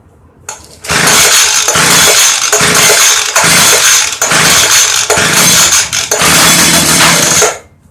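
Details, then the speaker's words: Early-2000s Craftsman Bushwacker 25cc hedge trimmer, model 358.795792: fires on carb cleaner spray and buzzes high about seven seconds, surging, then dies; fuel starvation from broken fuel pickup line, crumbling air filter. "so it does fire off I like to hear it run a little longer with the choke clothes nothing's going in it"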